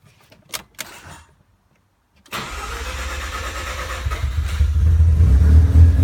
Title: RX7 misfire